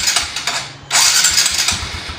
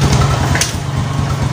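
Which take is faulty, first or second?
first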